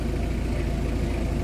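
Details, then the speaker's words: Mitsubishi L300 diesel idling after the clutch was adjusted and the dry release bearing and main drive were greased: steady, smooth low rumble, and the earlier clutch/transmission rattle is gone. "Tumahimik nga sir eh. Oo nga, tumahimik. Tumahimik yung kalampag niya"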